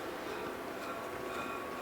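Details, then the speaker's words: Tormach 1100MX milling machine spindle, after repairing a lock-up, resealed and screws torqued to 23 inch-pounds, hand-spun: smooth, even bearing hiss, no rubbing, scraping or ticks; spins free, bearings sound healthy, though long-term durability is uncertain. "doesn't sound any like anything's rubbing i just hear the the sound of the bearings doesn't sound like this is hitting at all"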